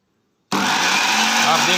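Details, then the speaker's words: Bajaj FX 1000 food processor running with jar fitted to satisfy the interlock: sudden high-speed motor whir with a raspy, uneven edge as it spins up; worn black rubber motor coupler that drives the jar, to be replaced. "देख सकते हो दोनों rubber साथ में घूमते हैं। तो हम ये जो ब्लैक कलर का रबर है वो बाहर से लाएंगे और रिप्लेस करेंगे।"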